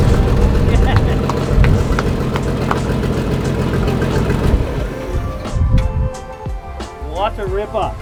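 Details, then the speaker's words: 1944 Chevy Blitz WW2 army truck, first start in 30 years on fresh fuel: deep steady rumble running evenly for several seconds, then switched off. A clean, healthy run. "after all the teasing i gave the old man he was right fuel was the fuel was the fuel first start"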